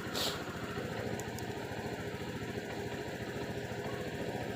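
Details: Suzuki Samurai after a hard-start fix: a steady, even putter at a settled idle with no misses, knocks or hunting; the engine idles normally and sounds healthy.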